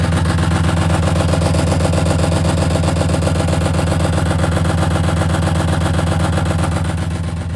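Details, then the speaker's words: BMW E34 530 with a failing clutch, started and idling before being backed into the garage: steady idle pulse about four beats a second with a heavy hum; something unhappy underneath, owner wonders if the differential died. "I may just start the car and then move it. Yeah, something's not happy down there. See, look."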